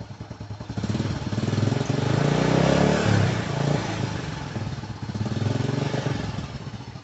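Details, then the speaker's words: Older Honda Supra X motorcycle, light throttle blips only: revs rise and fall smoothly with an even exhaust beat and no knocks or rattles; healthy engine. "Ini gua geber-geber sedikit ya, tapi nggak yang gede-gede banget soalnya lihat kanan kiri gua banyak banget rumah."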